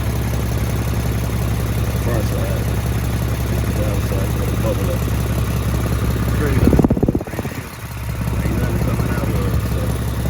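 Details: Lexus GS350 AWD after its cracked exhaust pipe was patched with a clamp. A steady, low idle with an even beat and a brief handling noise midway; normal idle.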